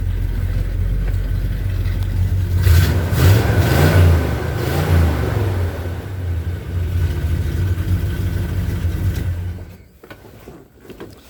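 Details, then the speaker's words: 1978 Chevy C10 truck, cold after sitting half a day or more: idling, a few quick throttle blips rise and fall cleanly, then it settles and shuts off; healthy. "anyway it was it was cold it's been sitting here half a day or more maybe more"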